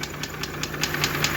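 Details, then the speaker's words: Mercedes G-Class, M104 3.2 engine rated 220 hp, with no compression, a burnt piston in cylinder one, a melted and gutted catalytic converter and a cracked manifold: rough, shaking idle with a sharp regular knock about five per second; cause not yet found. "что стучит тоже непонятно сейчас буду разбирать смотреть"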